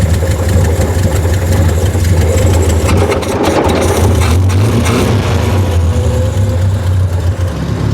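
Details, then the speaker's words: 1976 Triumph Spitfire 1500, dormant for years, carburetor never adjusted: steady, even low idle rumble with no knocks or misses, smoothing out as transmission fluid burns off; sounds healthy, normal idle. "I think she sounds pretty good for being dormant for how long yeah she sounds healthy"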